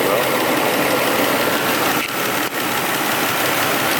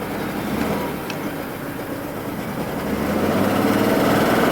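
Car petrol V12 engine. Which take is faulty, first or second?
second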